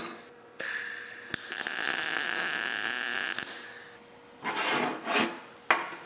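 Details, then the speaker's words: Everlast PowerMTS 141Si 120V multi-process welder in MIG mode at 160 inches per minute wire speed and 21 volts. A steady, even frying sizzle with no popping or sputtering: a well-set, stable MIG arc that welds nicely. "Well, I can tell you already this thing seems to weld pretty nice. Let's go more. Let's try 21 volts. Sounds good to me."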